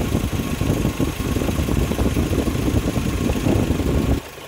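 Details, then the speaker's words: 1996 Geo Tracker at idle right after installing a new radiator fan clutch to cure overheating at idle: steady smooth idle under a strong even rush of fan air, no knocks; now blowing about twice as much air, normal. "I mean there's a big difference so this thing's going to cool at idle now I'm sure of it"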